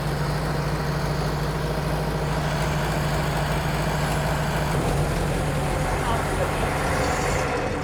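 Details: Rebuilt Model T speedster four-cylinder on first start after the radiator was fitted, timing checked and 4 quarts of oil added: uneven, lumpy idle with an irregular low thump, like one cylinder dropping out; misfire, cause not confirmed.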